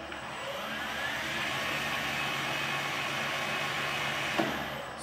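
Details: PM-1440GT lathe with a new Marathon E470 3 hp 230 V motor on a Hitachi WJ200-022SF VFD, replacing the cogging stock motor, in low gear L1 at 140 rpm: smooth steady hum, faint even whine, no knocks, then a quiet stop; normal running.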